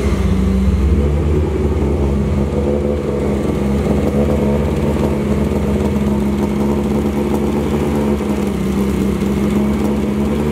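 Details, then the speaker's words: MK1 VW with swapped 2L 8v engine after first start, distributor advanced: strong, even four-cylinder hum for ten seconds with no knocks or ticks, oil pressure around 4 bar; healthy, though idle is not yet perfect and needs a remap after a throttle body change. "So everything sounds healthy, she's running good."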